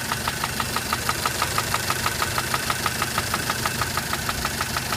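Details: Mitsubishi Pajero Mini H56A, 4A30 engine, running poorly: sharp metallic tapping about three times a second over idle, steady and even; knock of unconfirmed source, suspected lash adjuster or bearing metal.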